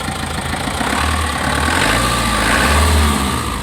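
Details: Foton Transvan with 4JB1 engine that had died after a few kilometres and then wouldn't start, fixed by restoring power to the relay so the check-engine light comes on: settles into an even, steady idle with a slight rev swell, no knocks or misses; normal idle.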